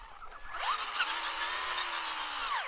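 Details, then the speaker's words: Traxxas Stampede 2WD XL5 RC truck at the beach, earlier noise (possibly something caught in motor) gone: clean motor whine climbs, holds and winds down with no grinding or ticking; normal running. "Maybe, I'm not really hearing the noise now. Maybe it worked itself loose. Yeah, it sounds a lot better now."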